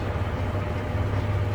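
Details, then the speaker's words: Jeep TJ NV3550 manual gearbox at idle, clutch out, after fluid changes: low, even hum with no whine, rattle or grinding. The earlier noise, suspected input shaft bearing, is gone. "So, here's the final sound after doing the oil changes. As you could hear, that's with the clutch out,"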